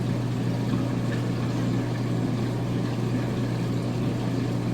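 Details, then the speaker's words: Whirlpool top-load washer moving from rinse into final spin, lid switch bypassed: steady low hum under rushing water, no rattle or grinding, draining water out fast; normal drain pump operation. "all right moving out of the rinse cycle now into the final spin and you can hear and see it draining that water out nice and fast"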